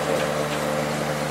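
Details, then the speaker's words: Late-90s Whirlpool Accudry 40-pint dehumidifier (reciprocating compressor, Emerson fan motor), about 10 minutes running: steady, even low hum with smooth fan rush, no rattles or pitch changes; coil condensing, not frosted, condenser warming; running normally. "It's been running for about maybe 10 minutes now. Coil is getting some condensation on it. It has not frosted up at all."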